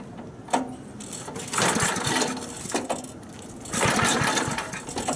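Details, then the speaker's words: 1964 Snowbird S.263 snow remover, cold start outside with choke forgotten off: repeated rope pulls, short churning bursts that die without catching; fired first pull once choked. "you know I pulled it pulled it and I said something's not right here and then it kind of clicked you know in my head and I thought well I forgot to turn the choke on"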